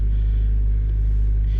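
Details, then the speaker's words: 1997 Toyota Tacoma 2RZ-FE being diagnosed for P0171 lean code, cold at 54 degrees in open loop: steady, even low rumble at fast idle of 1400–1500 rpm with no misses; idle deliberately set high; high cold idle. "54 degrees 1400 RPM she's idling a bit High but I had adjusted it just so that uh people could yard drive it"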